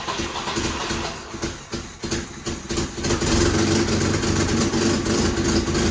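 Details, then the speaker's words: 1967 Volvo 122 Amazon, sat 35 years, before fitting new 2-inch sport exhaust: loud idle with rapid even puffing tick about three per second rising with revs; exhaust leaking at manifold flange. "You can see where it was all leaking in here. Yeah, it's no good."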